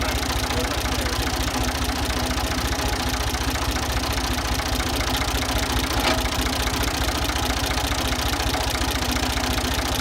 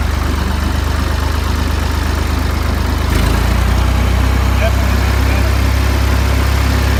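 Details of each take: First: Ford 2000 diesel tractor running on Diesel Purge, smoky: steady idle with a sharp regular knock roughly 150 per minute, attributed to bad injectors being cleaned. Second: Ford 2000 diesel tractor running on Diesel Purge to clean bad injectors, at varying rpm: steady, even diesel clatter with a firm low beat and no misses or knocks; after the purge the idle sounds about normal.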